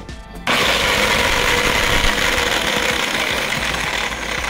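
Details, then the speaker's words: DeWalt 7-inch angle grinder switched on: loud, harsh rough whir with a gritty rattle from worn motor bearings, before bearing replacement. "se oye mucho ruido y aquí puedes escuchar Cómo se"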